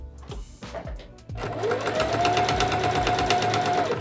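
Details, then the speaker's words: Sewing machine deliberately fitted with a badly dulled needle: steady motor hum with a dull, regular thump about three times a second, unlike the sound of a good needle; needles should be replaced about every eight hours of sewing. "kind of making a thumping sound as opposed to this sound which is a good sounding needle"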